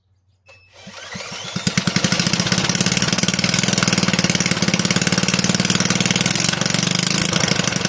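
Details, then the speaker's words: Toro 18005 mower, Tecumseh engine (possibly TVS series), carburetor cleaned, tank refitted and fueled, oil barely on dipstick: catches after a couple of sputters, settles into a quick steady crackling run; engine running fine. ">> She'll be a runner. Holy cow. I honestly did not have high hopes for this engine given the state that I found it in."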